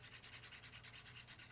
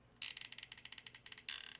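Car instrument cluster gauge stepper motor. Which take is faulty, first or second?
second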